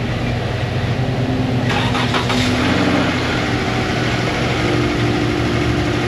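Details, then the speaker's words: Chrysler, cold start: engine fires and runs with an uneven, lumpy note over a steady rumble; sounds rough, cause not confirmed. "I'm not sure if you can hear it, but it don't sound too good."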